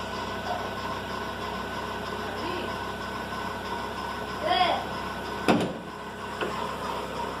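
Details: Fox engine, noise in the morning: quiet idle with a faint steady whirring whine and no knocking; worn accessory belt pulley bearing.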